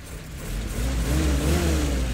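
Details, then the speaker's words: 77-year-old Willys Jeep, hot engine after driving: picks up from idle a little lazily, then revs climb smoothly; hesitation on acceleration that clears past the first bit, owner suspects the carburettor accelerator pump. "I mean see the cards still got a bit of hesitation there think it's the acceleration pump"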